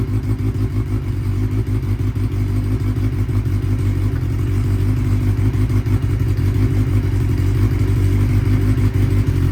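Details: 1992 Honda Nighthawk 750 carbureted four, unridden 2–3 weeks, warming up after the choke was used: a steady, fairly quick idle with a slightly uneven patter. It sits higher than it should and needs turning down at the idle adjustment knob.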